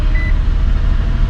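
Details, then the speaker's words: 2003 Infiniti G35 first start after knock sensor, knock sensor harness, cam sensor, valve cover and intake gasket replacement, battery was disconnected: catches and settles into even low rumble, picks up smoothly, no knocks or misses; normal. "let's look at the vehicle and my God you guys she's running like a bird oh my God she sounds so good"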